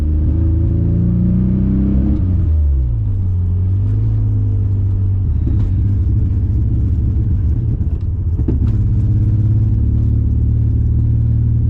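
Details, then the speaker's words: BMW E34 535i 5-speed, driving under acceleration with check engine light intermittently on: heavy low rumble that stumbles and surges, breaking up badly; misfire under load, suspected distributor cap and rotor. "oh what are you what is wrong with this car oh it's just misfiring bad I mean it's breaking up bad probably a c and a rotor I would say"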